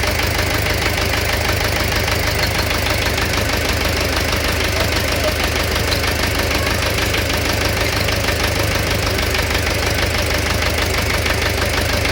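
Engine idling with a persistent rhythmic knock at about two per second over a harsh clattery background; knock source undetermined.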